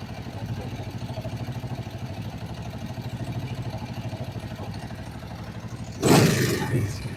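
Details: Kawasaki Vulcan 500 twin idling during carburettor synchronisation after valve adjustment: steady low pulsing idle about three beats a second, then a short throttle blip; runs smoothly and balanced, normal idle.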